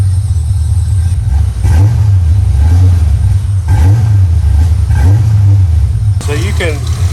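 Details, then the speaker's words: Newly acquired project car just off the trailer, at idle: engine speed rises and falls roughly every second and a half, a steady hunting surge that never settles; cause not yet determined. "it surging a little bit that's the way it did when i pulled it off the trailer so i've got some things that i'm gonna have to do on it"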